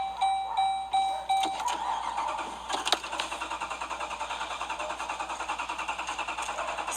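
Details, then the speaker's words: 2013 Jeep Grand Cherokee Overland, intermittent no-start, dealer finds no fault codes; tried with push button and key: steady starter churning about two and a half beats a second that never catches; cranks but will not start. "still not working with the key cannot get my car started to go to work but yet every time it's put on the computer they continue to tell me there's nothing diagnosed nothing wrong"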